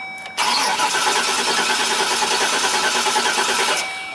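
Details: 2005 Chevrolet Express 3500 6.0 V8 box van cranks evenly for over three seconds with no firing, ECM cutting cranking; crank-no-start, crank sensor 12 V reference supply missing, so no spark or fuel.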